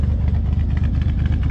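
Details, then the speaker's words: S10 Blazer 4.3 L V6 with a possibly glasspack-type muffler, fuel pump primed before starting; uneven, lopey idle, not the cam but some cylinders missing. "you can kind of hear it hit Lopes a little bit not because it's a cam it's because that's missing on some cylinders"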